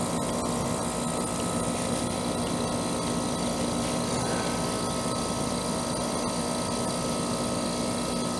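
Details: Trane AC condenser after a new capacitor and a hard-start booster were fitted to restart the compressor, which had failed to start with only the fan running: steady compressor hum with an even fan whir, no rattles or grinding; normal running.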